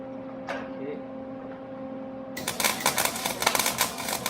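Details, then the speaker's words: MIG welder with the wire speed turned up way too fast while welding onto a sheared bolt. After a quiet hum come harsh, irregular tack-tack popping and crackling instead of a smooth sizzle, the sign of excessive wire feed. "So I'm going to turn the wire speed up so it's way too fast, and you should be able to tell right away. On the bolt. So right away it's tack, tack, tack, tack, right? Pretty easy to tell."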